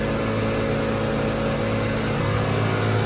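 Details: Ford Fiesta 1.6 that had P0301/P0303 misfires from a failed ignition coil output terminal, just after the new coil is installed: a smooth, even idle with a constant low hum and no stumbles, now running steadily on all cylinders.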